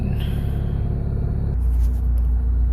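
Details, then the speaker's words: Toyota 4A-FE engine near operating temperature with the air conditioning on, after throttle body and IACV cleaning and an ECU reset that cured a 1200–1400 rpm high idle: low, steady even idle now below 1000 rpm; normal warm idle. "as you can see it's already below 1000 when the temperature is already close to the operating temperature and that's even with the aircon on"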